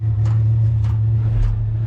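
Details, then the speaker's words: Chinese diesel heater newly installed in a cargo trailer, second fire-up attempt: steady low combustion rumble with a soft fuel-pump tick about every 0.6 seconds; heater has lit and burns evenly, normal combustion at startup. "Okay, round 2 on fire up. You can hear it chooching the life. You hear the burn."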